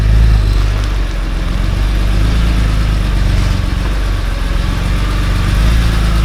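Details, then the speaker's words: BMW E46 M3 S54B32 at idle, before repair: rough idle with a fast, uneven knock about four per second; camshaft-to-crankshaft sync fault logged; engine knocking at idle. "hello viewers today we're going to work on this BMW E46 M3 so the story behind the car is that the engine has developed some strange knocking sound on idol I'm not sure it's only on idol"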